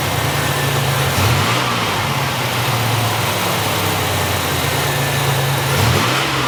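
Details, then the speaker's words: 1987 Buick Grand National after new fuel injectors, fuel pressure regulator and ECM chip; several throttle blips climb and settle cleanly, smooth even firing with no hesitation, though regulator leaks fuel at seam; normal revving. "Oh yeah, no hesitation there. Running good, real smooth now."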